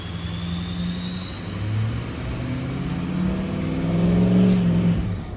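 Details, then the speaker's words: Diesel truck ("Big Red") on a cold start, about two minutes after new fuel injectors and a new Atlas FICM were fitted; even diesel rumble with a turbo whistle climbing as it revs then dropping away, pulling smoothly with no miss or knock, normal running. "oh you know i didn't even think about that's technically a cold start the truck hasn't run all day that's the first time i started it it's only been running for two minutes"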